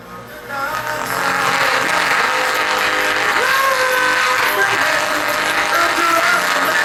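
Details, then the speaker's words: Car mid-range speaker playing music sounds thin, buzzy and harsh like a blown driver, but the cone is disconnected rather than burnt out; fixable with glue. "So yeah, it's like it's blown. Now most people will determine that as a blown speaker."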